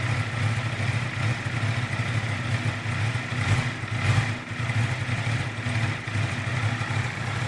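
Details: 2018 Honda CBR650F cold idle with a deep, uneven burble and some clatter on top; the beat wavers instead of settling, a rough idle on cold start.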